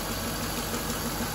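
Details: Infiniti M45 at idle with AC off during a fan control module check: steady, even idle with no fan roar on top; the engine runs smoothly and the cooling fan correctly stays off.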